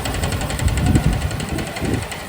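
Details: Neo 125 scooter after replacing the complete primary CVT transmission kit and belt: even, steady idle with a smooth soft pulse and no rattle or grinding from the transmission; strange noise gone, normal idle.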